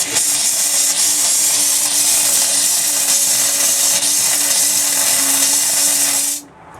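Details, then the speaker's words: Escape 19 ft travel trailer, cold kitchen tap cracked slowly while blowing out the water lines: steady loud hiss with faint constant tone, then it cuts off as air replaces the water. "I'm just going to crack it slowly so that we can control the spray. I'm just going to let it go until the water stops pouring and we get air coming"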